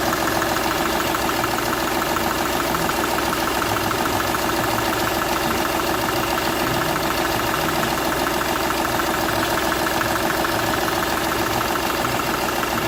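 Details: Seat Ibiza 1.2 TDI diesel at idle: regular chuffing knock about three times a second over the clatter, compression escaping from cylinder one past a burnt injector seal.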